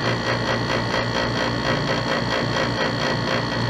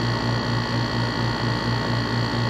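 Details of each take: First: Dometic RV roof air conditioner with the cover off: a fast metallic buzz-rattle over the AC hum. The vibrating copper Freon return line had rubbed through the rubber in its cable clamp, making metal-to-metal contact, and holding the line stops the noise. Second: Dometic rooftop RV air conditioner with cover off: steady even low hum with a soft airy whoosh, normal running sound; the rattle with cover on came from the Freon return line rubbing metal-to-metal through a worn cable clamp.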